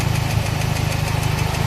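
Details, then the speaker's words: Toyota Baby Altis with a 2E engine, at idle after a new carburettor and tuning that fixed a clogged slow jet. A fast, light tick rides over the low hum from the middle, number two cylinder of the head, later found to be loose rocker pivots. "Yun lang yung tunog dito. Dito para siyang gitna. Number two."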